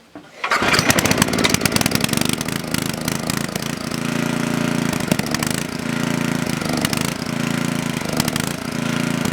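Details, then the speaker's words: Coleman Powermate Maxa 5000 ER generator on half choke, powering a 110 V light: note surges and sags, cannot stay running. Owner suspects carburettor needs cleaning or adjustment; cause unconfirmed. "Alright, from what I can tell, there's nothing wrong with this machine, other than it needs a good carb cleaning, because it cannot stay running unless it has a backflow issue."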